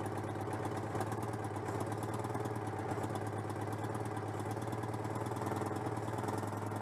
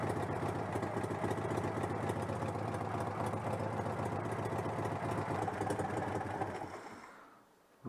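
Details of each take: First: Citroën 2CV (AZLP6) after fitting a centrifugal clutch: low, chuffing twin-cylinder idle with a slightly lumpy, uneven beat; owner suspects the unconnected crankcase breather is upsetting the engine, with leftover cleaner also present. Uneven running. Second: allez je vais couper le court circuit mais je suis plutôt content ça l'air de fonctionner parfaitement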